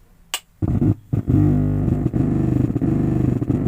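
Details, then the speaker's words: Zebronics home theatre with its burnt SMPS power supply modified, 5 V supply to the USB board disconnected: after a click, a low bass drone with a steady rapid throb from the bass speaker. Motorboating hum, suspected faulty biasing parts on the 6283 board. "देखिए सभी supply open करने के बाद तभी इस तरह problem दिखा जाता है। ये कंटिन्यू ये बेस स्पीकर, इसी तरह प्रॉब्लम, इसी तरह साउंड दिखा जाता है।"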